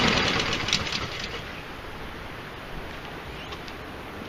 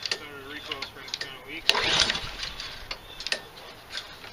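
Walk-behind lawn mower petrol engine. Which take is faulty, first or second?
second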